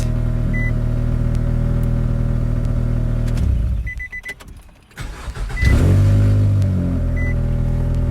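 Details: 2002–2006 Nissan Altima 2.5L after starter replacement (the old starter often just clicked): door chimes, a quick crank that catches at once, then a brief rev settling into a smooth, even idle.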